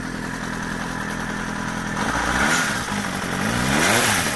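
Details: Suzuki GSX-R400 (GK73A) engine on side stand: light metallic rattle over uneven idle, persisting through throttle blips; cam chain tensioner already replaced without change, source not pinned down.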